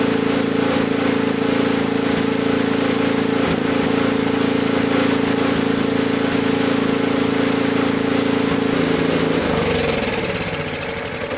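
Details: Honda BJ's 520 snowblower, bought barely used, starts on choke after its fuel-gummed carburetor was cleaned with GumBuster without removing it. It holds an even, steady mid-pitched hum with a regular pulse for ten seconds, then winds down, running cleanly.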